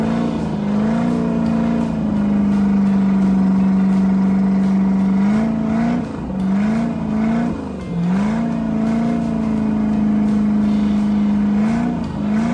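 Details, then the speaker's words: Freshly rebuilt 305 V8 converted to 220HP Crusader right-hand rotation marine engine with 1:1 transmission for a 1995 24' Lyman: strong even note swinging smoothly with throttle, no knocks or rattles; sounds good, normal revving. "It had a Pacer 283. We put a 1-to-1 on it. Sounds good."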